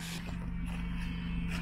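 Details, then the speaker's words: Mercedes SLK R170 convertible roof after replacing the hydraulic cylinders, roof cycling in about 21 seconds: the pump motor gives a steady even low hum with no surging, whine or strain, and the fluid shows no foam. "On entend le moteur hein, sans problème. Il n'y a pas de mousse hein."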